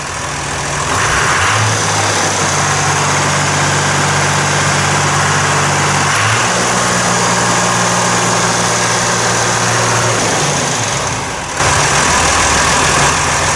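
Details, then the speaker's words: 1990 John Deere 3350 tractor diesel, first start after valve failure repair and long standing: steady, even idle with smooth low beat, no knocks or misses; healthy. "and see if we can fire up fingers crossed that's a John Deere that'll go we know that"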